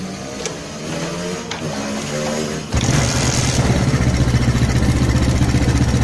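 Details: Smash small motorcycle, brought in for stuttering and high fuel use with black spark plug: engine catches and runs with an uneven, stumbling, sputtering pulse, a rich mixture from a leaking carburettor diaphragm.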